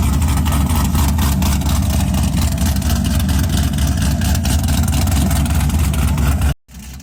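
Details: Cadillac CTS-V first gen, freshly built LS3 with custom 13:1 compression, CNC-ported top end, E85 build, first startup; deep loud steady V8 idle with choppy big-cam rhythm, no knocks or ticks. Normal idle.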